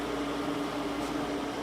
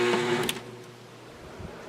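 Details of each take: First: Window air conditioner with compressor under load, blowing cold air with powerful airflow: steady even mid-pitched hum and fan air rush; set to 67, no longer short cycling, dropping humidity, running normally. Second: Window air conditioner with new capacitor, sharing a circuit with another running air conditioner: heavy low hum for about a second then cuts out; compressor struggles to start, owner suspects shared circuit, possibly needs hard start kit, unsure.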